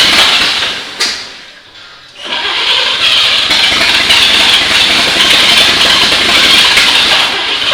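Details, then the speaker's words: 1939 GMC 4x4 cab-over with updraft carb, started after 60 years: short crank, pause, then an even steady run with no misses after fuel delivery issues and wet spark plugs were sorted and a minor valve adjustment done. "so at this point uh bill has worked out the issues with it we had mostly fuel delivery issues and we had some wet spark plugs"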